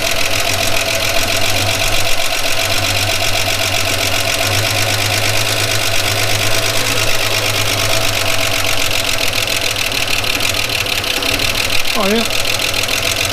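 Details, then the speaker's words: 1979 Holden HZ ute engine, parked outdoors for years, idling steadily with a faint quick tapping over an even beat, run off a borrowed battery; oil pressure is good, rockers may need adjusting. "It works, it runs, doesn't sound too bad."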